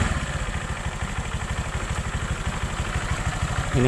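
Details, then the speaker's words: Honda Vario 125 LED scooter: a low, uneven thumping rattle from the rear under throttle, like a broken roller. The cause is a loose right-side air filter box; CVT rollers were checked and fine. Fix: shim it with inner-tube rubber. "sangat jelas ketika di bawah Jalan sangat terdengar di bagian belakang seperti suara roller pecah bagian sini di area"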